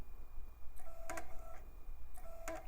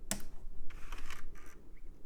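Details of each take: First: iMac G4 optical drive, removed and disassembled, powered on the bench with a disc clamped (laser visible through the disc): it spins with repeated short clicks and whirring retries, never settling. It fails to read the disc; the drive is suspected to be no good. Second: iMac G4 CD drive tray after fitting a replacement belt of the correct diameter but slightly thinner: short whirring bursts with light clicks as the drive powers up. Normal tray mechanism.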